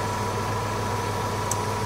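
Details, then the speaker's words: 2001 Chevy Blazer ZR2 (S10) after clutch-fan delete and electric fan conversion, engine idling with AC on; 16-inch electric fan pulling lots of air through the engine bay. Even steady whoosh over smooth low idle, no rattle; normal electric fan operation. "I can feel a lot of air blowing through this 16in ban niceo yeah you can see it kind of blowing through the motor here"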